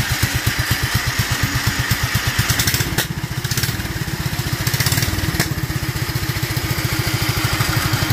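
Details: Duromax 18hp single-cylinder engine with a constant idle problem, running on its air filter; it won't start with the filter removed. Lumpy, uneven putter that sags and nearly dies before picking back up: unstable low idle.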